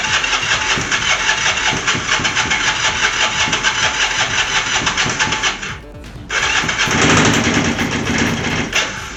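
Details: Long-dormant twin motorcycle, first start after a carb cleaning, new fuel line, tank valve seals and ignition switch: cranks, catches and settles into a lumpy idle with a loose metallic rattle over the top; source of the knocking rattle not found.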